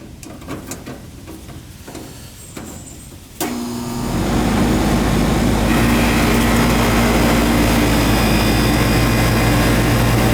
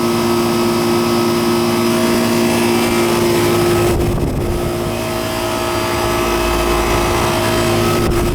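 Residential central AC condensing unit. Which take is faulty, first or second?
first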